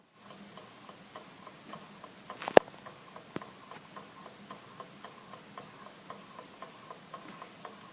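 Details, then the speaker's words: Small kit-built Stirling engine, warmed enough and started with a nudge of the top wheel: very quiet, soft even ticks a few times a second, speeding up as it gains momentum, running smoothly. "You can actually just about hear it if I shut up. That's how quiet it is, but you can just hear it speeding up."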